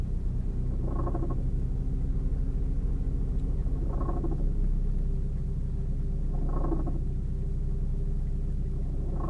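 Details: 2000 Saab 9-3 idling once fully warm, a hoarse whirring groan swelling about every three seconds regardless of revs; cause found to be a worn AC compressor clutch bearing, fixed by replacing the compressor.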